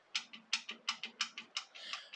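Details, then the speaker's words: Yamaha FZR 600, engine turned by hand at crank after timing chain tensioner adjustment: sharp metallic ticks about three a second with softer trailing click, seeming to come from a side casing; suspected source of running rattle. "but i heard this noise i don't know if you can hear it as i was turning the crank around like that i thought what's that cranking noise there"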